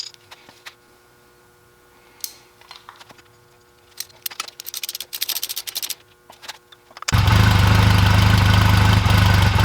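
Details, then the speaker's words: 2004 Honda Rebel CMX250C twin with new NGK CR6HSA plugs gapped 0.024-0.028 in: starts after clatter, idle beat wavers unevenly; rough idle traced to the new plugs, better with old plugs. "so that idle seems a bit rough I don't remember it running like that I'm going to put the old spark plugs back in and see"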